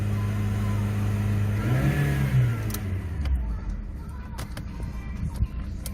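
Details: Rover 25 engine: revs fall away to idle, leaving sharp regular knocks about three a second; internal engine knock.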